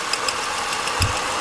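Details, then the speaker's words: 2002 Ford Taurus 3.0 idling with quick high-pitched chirps about seven a second that sound like a belt but come from a failing cam sensor that needs replacing. "I can feel every time it squeaks I can feel it in that c sy so that's one thing she's going to end up needing the cam sensor"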